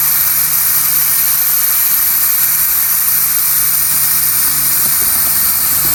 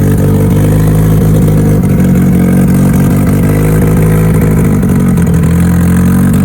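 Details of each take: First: Mitsubishi Evo turbo build, dyno prep boost leak test: steady high hiss, no engine beat, air escaping where injector O-rings seal at the intake manifold; leak confirmed, as expected. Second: Mitsubishi Evo before dyno prep, cold engine, first start of the day after installing both fuel pumps as the fix; steady strong low-pitched note, even pulse, no misses or knocks. Normal running after fuel pump repair.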